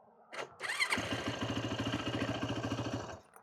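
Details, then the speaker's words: Pieced-together Yamaha YFZ450 after carburetor float and needle cleaning: quick crank, fires instantly and runs solid with even rapid single-cylinder thump about three to four beats a second; normal start. "Yeah. So, it runs pretty solid. So, yeah, it starts up really good. Uh, pretty instantly."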